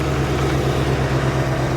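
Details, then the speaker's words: Corvette after the exhaust was reconnected and repaired: steady, even low rumble with no puffing, ticking or blowing. Smooth idle, much quieter than before the exhaust fix. "so much quieter [Applause] so much quieter than it was"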